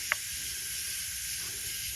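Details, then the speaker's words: BMW F10 N55 engine leak-down test at 100 psi, crank held: brief click then steady even faint hiss on cylinder one, 93–94 rising, called 95%, barely detectable leakage; normal low-leakage cylinder. "i have to actually like put my face in it to feel with only this much leakage and literally i stick my nose in here and you can just barely feel the air pushing by that's not a lot of leakage to be able to really detect"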